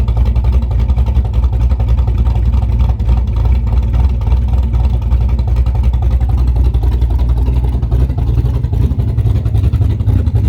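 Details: Chevrolet Camaro big-cam V8 at idle, freshly converted from carburetor to a Summit Max EFI-500 with IAC idle control: deep, even, strong lope of roughly three to four pulses a second. Normal cammed idle.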